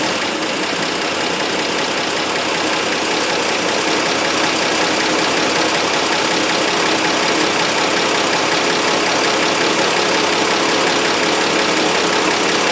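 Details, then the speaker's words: 1960 Dodge Dart Seneca, new engine, running on old stale gas with choke held manually (no choke thermostat): uneven, ragged firing with faint knocking, barely holding idle, won't run without choke; fuel starvation from old gas suspected. "i think if i get some heat into it let it run a while it'll actually run on that old putrid garbage i just gotta manually hold the choke because uh i don't have the thermostat for it"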